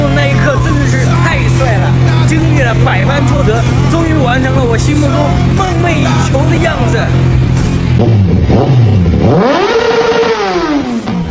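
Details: Yamaha R1 parked two years, after full refurbishment (starter, tank, plugs, throttle body, oil, coolant, 98 fuel): fires up and revs cleanly, pitch climbing and falling evenly without misfire; healthy.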